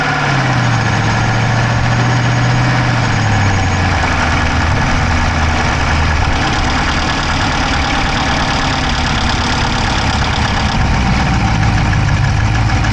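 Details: Dodge Charger Hemi V8 at loud, steady idle, recorded inside the driver's-side engine bay: a fast, light ticking buried in the engine note. No exhaust smoke, so the owner doubts a dropped valve; source unidentified.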